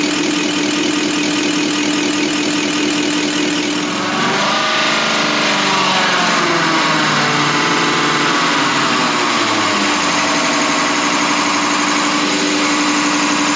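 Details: Deutz V8 diesel injection pump from a MAN KAT truck that had lost power (50 km/h max), cleaned and run on a diesel specialist's test bench; steady droning hum with firm even pulse, like an engine idling; normal injection pump running.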